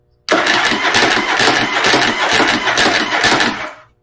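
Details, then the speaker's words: After fitting a Bendix clip clamp to the starter, with the battery boosted, the engine cranks in an even, steady chug at about two beats a second for roughly three seconds. No gear kick-out or missed engagement. Finding: normal cranking. "It's not missing at all now."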